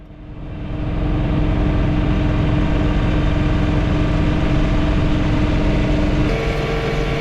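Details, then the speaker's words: John Deere 3 Series tractor snow blowing, mistakenly run in high range: heavy diesel drone with a steady rattle about three times a second; owner wonders about worn, slack chain and sprockets, origin unclear. "gears on the chain the sprockets and the chain wearing and some slack and they're rattling um i don't know i am probably going to call my dealer and he asks their service department if they if they have any idea where it's coming from"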